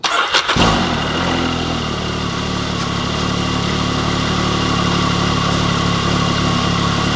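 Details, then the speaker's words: Can-Am Maverick X3 side-by-side first start after belt failure repair, with both clutches reinstalled, new belt and temperature sensor, outer clutch cover still off: short crank, catches cleanly, smooth even idle with no knocks, rattles or belt noise. "But what I'm gonna do is fire it up real quick, make sure everything's working, not making any weird sounds, and kind of go from"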